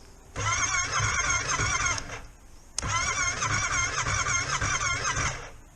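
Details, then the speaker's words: Yamaha Tracer 700 after sitting on a battery tender, still found with a dead battery: two weak two-second cranking bursts that struggle to catch. Hard starting. "Battery's dead. Well, that took a bit of getting going. There we go."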